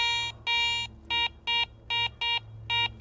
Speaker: the mid tone I've got a gold ring mid tone is anything reading from 33 to 75 there's your mid tone sound